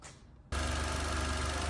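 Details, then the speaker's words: Renault Clio TCe 0.9 after timing chain replacement (arrived with obvious chain rattle and timing fault codes): engine catches and settles into smooth even idle, steady low hum, no chain rattle; running healthy. "Car's running really well. There's no horrible rattly timing chain noise now."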